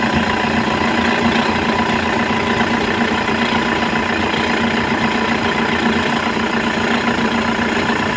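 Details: Toyota engine idling with a dry, scratchy rattle chattering along over it at the front from a bad alternator pulley; worn alternator pulley.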